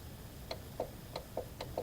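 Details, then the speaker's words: 2012 Subaru Legacy window motor fed 12 V directly in both polarities: sharp, regular clicks about three to four per second while the window stays stuck; motor may work, and the cable spool is suspected tangled, so the whole assembly gets replaced. "So yeah. So she's stuck. So the motor itself could be working. What it is is the the cable that spool. It must be tangled in there."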